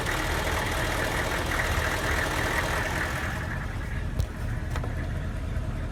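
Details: Van with diesel engine: misfire at idle, a lumpy, uneven idle beat with stumbles breaking the clatter, after a Kojo aftermarket ECU tune; runs worse when hot, barely does 45 mph; swapping to a stock junkyard computer restored normal running.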